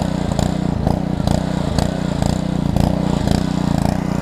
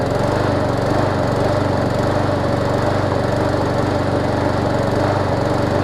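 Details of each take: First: Small-engine pressure washer from a $75 equipment lot, hooked to water and started: the single-cylinder engine runs at a steady, even pace with a regular firing beat and no knocks or misses. Healthy, and it pumps. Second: Push mower small engine, steady run with a slightly uneven, hunting beat and thin exhaust note, suggesting it is running lean; owner suspects a swollen needle and seat or a restricted fuel line; a carburetor swap is the fix if needed.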